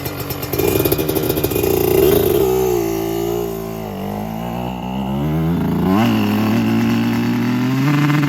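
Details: 2024 Yamaha YZ125 two-stroke after new FMF pipe and silencer, JD jetting kit and Castrol full-synthetic oil to cure jetting problems and fouled plugs: crisp blips climbing quickly and dropping back cleanly, strong upper-rev pull; power band hits quicker and harder, idle still slightly high; healthy.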